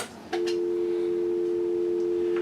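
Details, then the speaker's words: Rebuilt 1940 Western Electric 302 telephone, metal alloy cover, nearly 80 years old, tested after rebuild: a click then a clean steady unbroken hum tone holding level; healthy dial tone, working properly. "Okay, so once again, let's make sure that it has dial tone."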